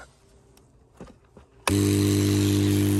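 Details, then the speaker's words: Charles Austen ET100 air pump from a WPL Diamond treatment plant, just after servicing, switched on outdoors: quiet, then a steady, even mains hum with a strong low buzz and no rattle or knocking; good pressure, pump healthy. "So the air pump running. Good pressure there. So they are pretty quiet."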